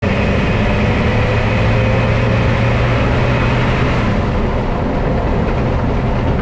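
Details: Car braking while slowing down: low steady hum under rolling noise, fading as the car slows; brake noise, cause not identified.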